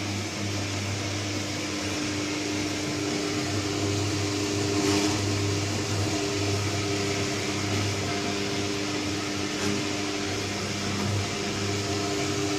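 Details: Candy Trio 9501/1X washing machine, new: constant deep hum with droning resonance through the wash cycle, noticeably louder than normal.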